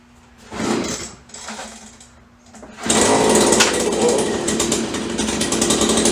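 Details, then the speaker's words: 30-year-old Stihl BG72 two-stroke blower, cold start on choke after repairs, good compression and spark: a few pull-start rasps, then ragged, uneven, sputtering buzz; runs rough cold, much better once warmed up. "Sounds like we need a little work here. Runs much better when it warms up."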